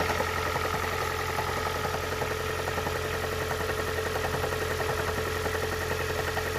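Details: Engine idling with a faint, uneven tapping about twice a second over a steady hum. Abnormal engine noise at idle, cause not identified.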